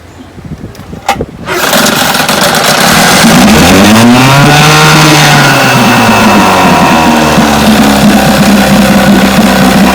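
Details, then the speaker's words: Vintage Johnson outboard that misfired at high speed, after swapping the pitted brand-new points for another new set. After a couple of pulls it catches, revs and settles into an even, steady two-stroke beat with no skipping. "so i believe that was the problem that's more steady running easy yep that was the trouble points"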